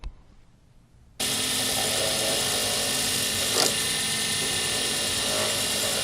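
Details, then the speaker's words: Lathe turning a D-shaped circuit board blank on a Sierra pen kit: steady harsh high hiss with a brief rough catch, the sound of the tool scratching the blank, which is to be avoided. "That's what it sounds like when you make a scratch on a blank, and that's what you try to avoid."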